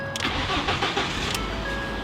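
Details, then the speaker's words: 2012 Ford F150 bought as run-and-drive: brief crank, then it catches at once and settles into a quiet, even idle with no knocks or misses; check engine light off. "it sounds good okay it has a little like stick to it but it's a nice quiet truck right"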